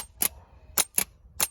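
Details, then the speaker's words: Bench test of a starter motor from a Pajero, with the solenoid wired straight to positive and to negative on the housing. Five sharp, crisp metallic clacks as the solenoid snaps the pinion forward and closes its internal contact: normal engagement. "mechanism comes to the front it will engage the car and then when the internal contact closes here then the positive one will turn the engine"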